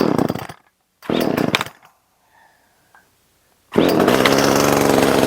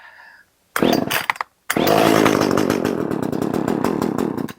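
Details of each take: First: Echo CS 370 two-stroke chainsaw after opening the low-speed jet, choke off: after a few failed pulls it catches and holds a steady, even high buzz with no surging or dying; runs clean. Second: Echo CS 370 two-stroke chainsaw, old fuel drained, on choke to test for fuel starvation: cranks, catches briefly, buzzes unevenly and dies; confirmed too little fuel, low-speed jet being opened up.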